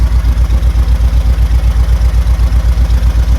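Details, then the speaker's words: 1972 VW Beetle with large crankshaft end float, first start after over 3 years standing: deep, heavy idle thump about 2.5 beats a second, tractor-like with visible shaking; rough idle, distributor adjustment next. "Sounds like a tractor engine. [Music] Is that sound right? That's the um fan up in here."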